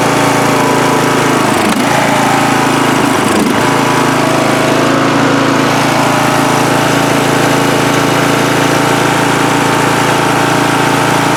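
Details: Free riding mower on a first start test after its gas tank was drained, fuel added by hand amid flooding: a steady single-cylinder putter at idle-to-mid speed, a couple of early stumbles, then smooth, running cleanly.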